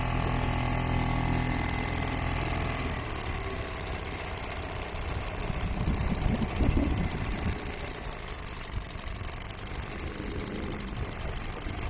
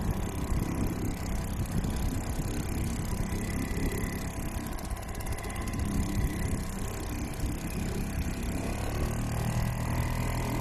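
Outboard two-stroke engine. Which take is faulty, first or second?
first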